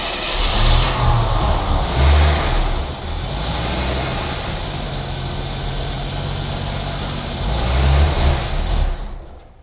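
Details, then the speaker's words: 1981 AMC Eagle sedan, distributor recently worked on: engine catches, revs and settles into an uneven, lumpy idle that still stumbles now and then; still running rough, though getting a lot better. "foreign not perfect but it's getting a lot better yep"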